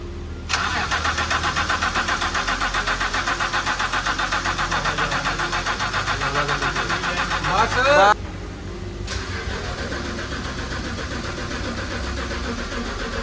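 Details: BMW after E20 ethanol damaged the fuel pump, now replaced; even starter cranking about four turns a second for seven seconds, never catches, pump running.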